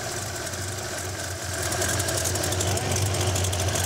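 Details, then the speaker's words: Holden 202 with XU-1 cam and a stock, undersized 1bbl Stromberg, mixture screw almost fully in, throttle opened far too wide, no distributor vacuum hose: an uneven, lumpy idle with a loose knock about 4 per second. Fuel leaks down the throat; the carb needs modifying. "I can't get the mixure right I can hear the um uh venturing uh leaking fuel down the throat so uh yeah throttle is opened way too wide to get it to run"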